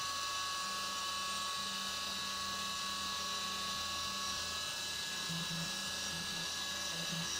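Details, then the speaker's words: CNC 3D milling of the side of an AR15 high-rail gas block on the back side of the part, where no material is gouged; steady high spindle whine and even cutting tone, no rattle or squeal; chatter-free cut. "And you'll notice it's not getting chatter when it goes on the back side of that part because it's not gouging any material back there."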